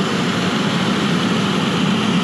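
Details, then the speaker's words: Restaurant rooftop heating unit, door off, burner fired, set for 60°F: blower draws about 15.5–16 A without tripping; steady even low roar with firm rumble, no surging; blower running at high load amid building negative pressure. "and they're definitely hauling the bacon to town there okay with door off we're pulling 15.5 6 we're not tripping"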